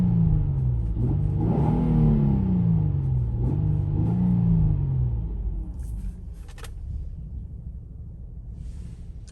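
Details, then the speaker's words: 2006 Infiniti M35 Sport, 225k miles, after replacing both engine mounts, the transmission mount and both camshaft sensors: two smooth clean revs then a quiet even idle, no knocks or roughness; sounds like a new engine. "so i got those replaced and it sounds like a brand new engine so idle's quiet drives quiet it's in pretty good shape see if i can rev it up for you"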